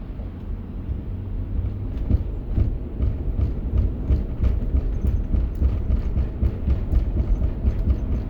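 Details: Lexus LX470 (100 series): a driving rumble with repeated low thumps, a few per second, keeping time with road speed. It appeared after a hard day on trails; owner suspects damaged CV joints, unconfirmed. Drivetrain thumping noise.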